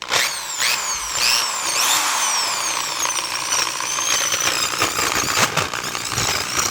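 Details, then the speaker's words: Rusted, corroded Milwaukee Magnum drill found in a shipping container, usually needing a beat to start: spins up with a harsh wavering whine, bogs, then grinds as something locks up and stalls. "oh no oh god um that oh that sounded like something locked up and stopped i felt it i'd be surprised this thing turns back on"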